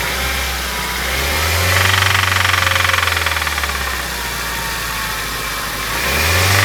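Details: Honda Fit with the L13A engine: a steady knock tapping at about four per second that sharpens as revs rise; a knock inside the engine, cause not yet pinned down.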